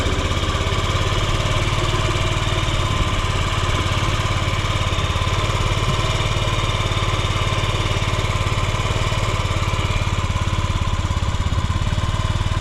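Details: Yamaha Gear scooter (UA08A-0315) running check: steady, even idle putter with smooth low beat, no knocks or rattles; quiet, healthy engine.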